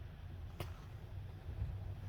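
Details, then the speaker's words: 2007 Chevy Avalanche 4x4 while driving: a low, steady grinding hum under cabin road noise. Worn front wheel bearing and hub, later replaced. "could you kind of here yeah like a grinding no hair like a grinding humming sound when you're driving 90 chance this is your problem"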